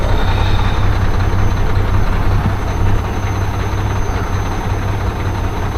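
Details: Mack diesel truck at idle, after work at the fuel pump over a suspected air bubble: loping, uneven beat with irregular low thumps, still running rough. Owner suspects the injector cups.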